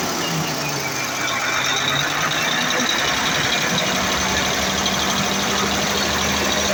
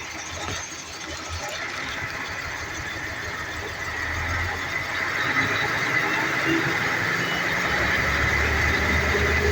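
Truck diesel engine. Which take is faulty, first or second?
second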